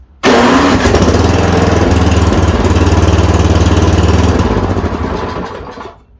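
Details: Yard Machine 826 snowblower, 8 hp, 26 in, no air filter: small single catches at once and runs with an even, quick thump for several seconds before winding down; starts and runs.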